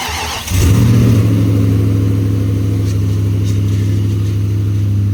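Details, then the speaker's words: 2004 Nissan Titan 5.6L V8, first start after timing chain, oil pump and gasket replacement and fixing a no-spark fault (grounds): cranks briefly, catches quickly, settles into smooth steady idle with deep even rumble; normal start and idle. "First start up after fixing everything and making sure it sparks and everything."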